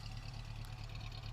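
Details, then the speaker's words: 1973 Subaru GL1400 coupe, flat-four with original 63,000 miles: low steady idle with a soft, faint light thump, typical of the Subaru engine and present for years per both owners. "I'd like to point out that the engine the Subaru engine often has a a light thumping noise at idle I'm not sure if you can hear it on the video but this car certainly has that it's no exception"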